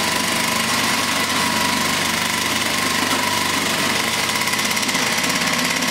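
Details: Vintage Flymo hover mower after reassembly, carburetor believed out of adjustment, kill wire not working: high buzzy two-stroke running slow with a loose, uneven beat; low, uneven running before rpm is raised.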